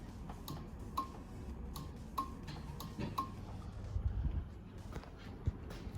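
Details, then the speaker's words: Relay clicking faintly as the transbrake switch is pressed with the key on, in a turbo LS-swapped Caravan with a 4L80E transmission; the relay works, but the transmission still isn't commanding third gear: normal relay clicking. "okay switch i don't know if you can hear it clicking or not but it is clicking"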